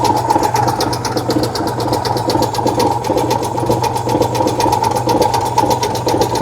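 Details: 1966 VW Type 3 Fastback air-cooled flat-four just fitted with new dual single-port 34 carbs replacing factory carbs: quick, steady chuffing over a low even drone, no misses or knocks; normal idle.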